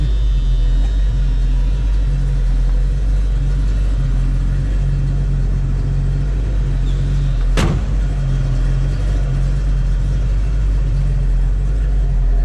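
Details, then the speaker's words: 1970 Ford Mustang Mach 1 fastback, M-code 351 V8 with T5 5-speed, restored; deep even rumble at high idle while still warming up, no knocks or misses, sounds healthy. "You can hear that rumble of the 70s on this Mach 1. Sounds very healthy."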